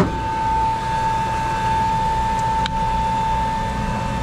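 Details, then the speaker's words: Three-phase domestic water pump (floors one to six) after two leads were swapped to correct reversed rotation, drawing about 12 A against a 16 A overload cutout, no smoke. Steady electric hum with an even whine near 900 Hz. Normal running. "come on come on sounds good and i don't see no smoke so that's on"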